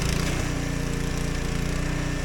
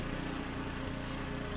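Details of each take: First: Husqvarna ST124 24-inch snowblower, 212cc engine, before the fix, surging and popping: steady run with irregular exhaust pops; factory-lean fuelling from a clogged governor jet. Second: Husqvarna ST 124 24-inch snowblower with 212cc engine running steady with an even putter, no surging, while blowing snow well after a clogged governor jet in the carburetor was cleaned; normal running.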